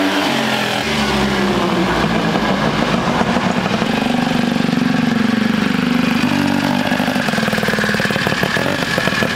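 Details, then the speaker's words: Rotary-engined ATV with carburettor and turbo, on jets stepped up a lot and oil pump turned way down: buzzy engine revs unevenly, lazy and blubbery on pickup; running far too rich, to be leaned out incrementally. "we have to figure out if we're burning oil or if we're super rich i'm not really sure so i think we'll lean out the jet a little bit because i did jump pretty high on the jets"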